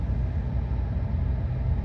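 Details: 1997 Suzuki Sidekick 4WD after O2 sensor replacement with codes cleared and the check engine light off: low, steady, smooth idle with no stumbles or extra noises; idles normally.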